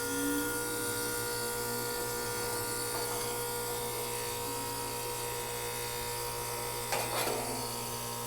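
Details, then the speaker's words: Outdoor AC condenser unit set to cool: compressor running with a loud, steady low electrical hum but the fan does not run, even after trying to kickstart it with a screwdriver. Diagnosed as a bad capacitor. "Okay, so since it does not start, it looks like we have a bad capacitor."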